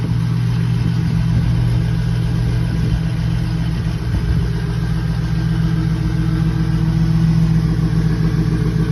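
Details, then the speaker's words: Chevy C10 swapped with a 4.8 LS from an '03 truck, after first start: deep, steady V8 burble with an even beat and no ticks or knocks; sounds pretty good, normal idle. "Got this thing running. Sounds pretty good."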